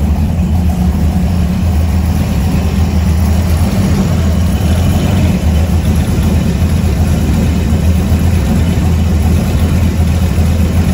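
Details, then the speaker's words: 1970 Ford F100 warming up at idle after a newly completed straight-through exhaust: a loud, deep, even burble with no misfires or ticks, a healthy V8; the alternator is separately not charging. "all right well the old trucks sounding pretty good i got my exhaust done"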